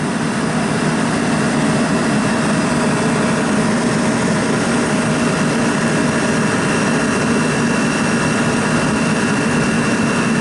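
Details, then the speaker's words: Pizza shop condenser fan, new Ranco head pressure fan control manually cut in, head pressure falling toward 197 psi, system low on refrigerant, about 50°F outside: constant airy roar, faint hum, running continuously; normal steady fan run. "It's good for the fan to run constant, not go on and off, on and off, on and off. Every time a motor starts up, there's electrical surge that runs through it."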